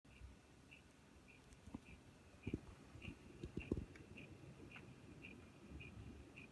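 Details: Newly built PC, Corsair CX550M power supply: quiet steady ticking, just under two light clicks a second, strange clicking/grinding noise.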